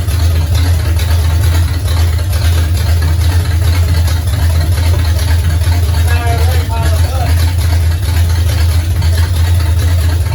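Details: 1969 Pontiac GTO barn find with Grand Prix V8, TH400 and Quick Fuel 750cfm carb, after 17 years sitting; loud steady low rumble with even pulse, no knocking or missing, 14 volts charging, smoke off headers, some valve-cover blow-by. Normal running.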